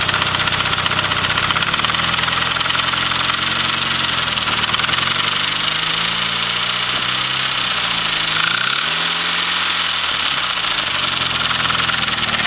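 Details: Saab 9-3 with B205E engine at idle: bright, hissy clatter over the idle, tone dipping and recovering a few times; abnormal engine noise, cause not identified.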